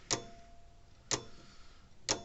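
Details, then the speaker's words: Old Sears mechanical electric fence charger, running: sharp ticks about once a second with faint crackle on some, contact points arcing; points need cleaning but still work. "All right, let's turn it back on. I can hear it arcing down there every once in a"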